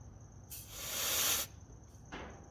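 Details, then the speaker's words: Toyota KE10 Corolla being revived, diagnosing fuel delivery: checking for vacuum at the fuel pump gives a short sharp hiss that stops abruptly; fuel not getting through, suggesting a blocked line. "yeah it's not getting through yeah so the Second Step was to check the line under the car to the fuel tank"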